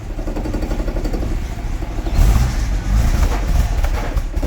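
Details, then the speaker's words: 1975 Jaguar XJ6 Series 2 SWB after full rebuild, with new valve guides and an electronic distributor, warming up: lumpy idle pulsing unevenly with a slight miss, possibly one cylinder not firing or slightly choked up; probably needs more tuning. "Got a miss. Yeah. Got a miss. I can hear it's got a little miss. I don't know if it's just because one cylinder's not firing or it's just a little bit choked up."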